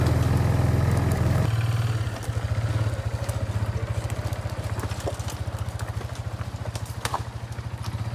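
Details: Barn-find Kawasaki Bayou 220 ATV on test drive after repairs (filthy carburetor cleaned, new battery, oil and air filters, rear right wheel bearing and seal): steady even exhaust beat, single-cylinder pulling cleanly, no knocks or rattles; running really good, no issues.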